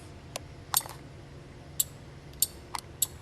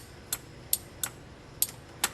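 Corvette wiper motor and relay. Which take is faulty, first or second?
second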